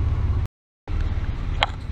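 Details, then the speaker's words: 1999 Ford Explorer 4.0L SOHC, cold idle before warm-up: lumpy, uneven low rumble with no steady beat; rough idle, later traced to a vacuum leak found by smoke test. "as you can see it's it's cold now it's running real bad"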